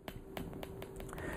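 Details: PEMF 100 electromagnetic pulser with isolated coils, set to high intensity at very low frequency: sharp even clicks about four a second over a quiet room, the coil firing normally.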